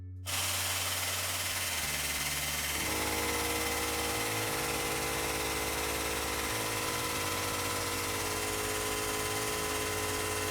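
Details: New OEM Tools 20-ton air-over-hydraulic press (25087), first try after assembly, air connected, no air leaks: pump kicks on with steady hiss and rapid even impact-like pulsing, ram moving smoothly; normal operation.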